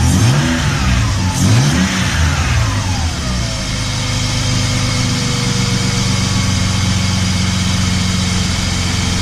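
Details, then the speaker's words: BMW E30 with M52B28 engine, belt routed to rule out the power steering pump: it blips, then idles quietly with no knocking, which points to the power steering pump as the likely source of the knock. "да так работает тихо шепчет хорошо"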